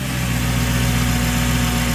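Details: Mercedes C55 AMG after custom fuel filter setup fixing fuel pressure loss, fuel pressure just under 60: steady, even low idle hum with no misses, knocks or hunting after start in neutral. Normal idle.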